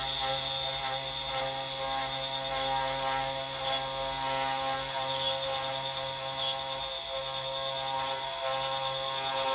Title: CNC 3018 x-axis shift+ squeaking noise